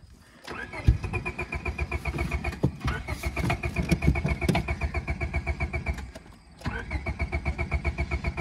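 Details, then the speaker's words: Honda Civic dragged out of deep grass, run with tire foam as engine oil and very low on fuel, cranked on level ground: steady starter bursts with only a couple of burps, never catching; crank-no-start. "oh a couple little burps i think she might be a lost cause boys"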